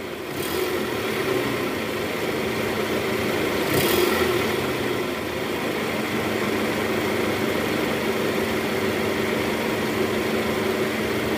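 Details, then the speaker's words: 2010 Toyota Camry, 2AZ engine, after worn balancer shaft replacement, idling in R with AC on. Smooth, even hum with no click or rattle; previously rough on start and clicked when shifted to R/D. Normal idle in gear. "Oke. Bagaimana menurut kalian? Suara mesinnya tidak kasar lagi."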